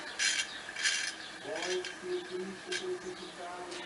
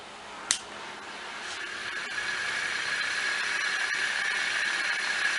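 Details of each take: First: Ceiling fan coasting down after being switched off from medium and maximum speeds: uneven scraping rasp; opened up, a broken ball bearing was found. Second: Ceiling fan after repairing a broken bearing, test-run on temporary wiring: one light click, then a steady even whir with a faint high hum and no scraping. The fan runs normally.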